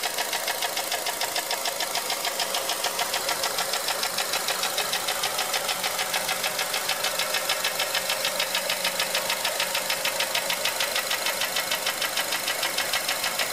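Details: 2004 Honda Element EX AWD, 2.4L i-VTEC, 167,000 miles, valves already adjusted, timing chain checked, no check engine light, serpentine belt off: sharp regular metallic ticking about three per second over quiet idle; piston slap on cylinder 1.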